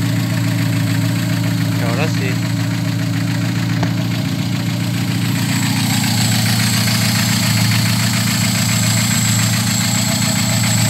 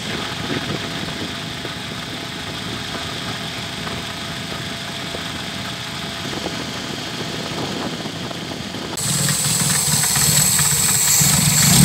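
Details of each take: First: VW G1 carburetted AP engine, after fixing low fuel pressure: steady, even idle with a smooth low hum and no misses; fuel pressure much better than before. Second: VW G1 with carburetted AP engine: uneven, lumpy idle that wavers; fuel pump pressure practically zero, engine starving for fuel and had stalled repeatedly on the drive to the shop.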